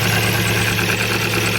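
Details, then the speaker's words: 2000 Ford Focus 1 1.6 petrol idles lumpy and unstable, misfiring on one cylinder (third) with power loss on throttle; no spark from that coil output, so the ignition coil has failed and is replaced. "Ну то есть в нас проблема в катушці"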